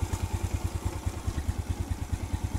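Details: Suzuki Smash/Shogun single-cylinder motorcycle after fixing loose timing chain tensioner with a 10 mm bolt, 6.5 cm long, locked with nut: even steady thump about eight beats a second, no clatter; idles smooth, previously rough klotok knock.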